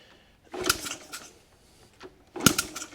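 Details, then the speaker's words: 1983 Honda C70, freed-up engine, kicked in gear: two short kicks, each a quick thumping chuff against firm resistance; compression good, sounds like it will run. "And oh, it's in gear. It wants to go. That sounds like it'll run."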